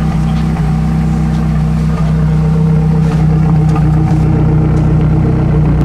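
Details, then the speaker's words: First start-up of a fully built 2008 Mazdaspeed 3 (block bored .020 over, CP pistons, Pauter rods, Precision 5857 turbo, Corksport turbo-back exhaust). A deep, steady idle with an even low rumble and no knocking or misses. Normal idle. "Yeah, well, look at that. It idles. Sounds good. It really does."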